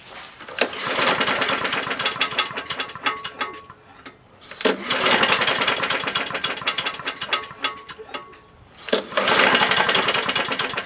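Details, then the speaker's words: Husqvarna lawnmower after a JB Weld repair and a new spark plug: an uneven, surging chatter that keeps dropping away and picking back up. The owner suspects a bad connecting rod and hears a lot of slap; rough running engine. "hmm that sounds pretty shitty [Music] okay what's making that noise"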